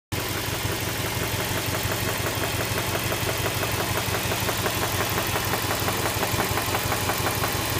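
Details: Subaru Legacy B4 RSK with EJ208 flat-four at idle. A steady engine knock, roughly three per second, sits over the rumble; the source of the knock is unknown.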